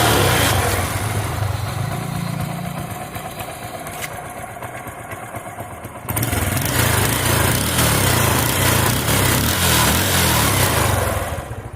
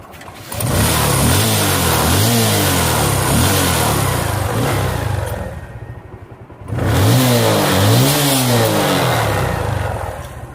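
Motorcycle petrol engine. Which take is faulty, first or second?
first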